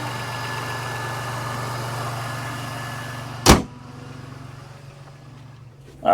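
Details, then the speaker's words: 2007 Jeep Liberty with P0302 and P2305 codes, after replacing the spark plugs and ignition coil boots: a smooth, steady low idle hum with no stumble or missed beats, then a door thud; normal idle, silky smooth again. "well there you have it babies silky smooth again"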